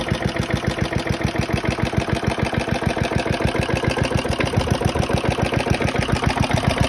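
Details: Very worn 1972 Hayterette mower, hundreds of hours last year, cold start after six-seven months stored on old fuel topped with fresh: strong, regular putter at steady fast pace, no stumbles or dropouts; hard to start but runs strong once going.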